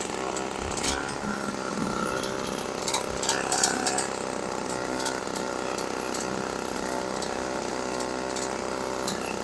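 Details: 1980s MTD Snowflite two-stroke snow blower, bought as a non-starter with nothing done to it, running outdoors: high, buzzy note holding steady speed under load with no misses or surging; a sound little engine.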